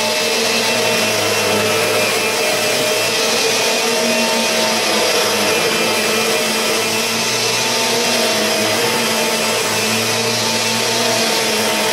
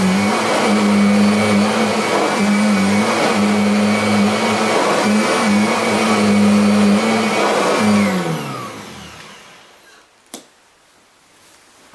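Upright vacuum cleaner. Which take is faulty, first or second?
first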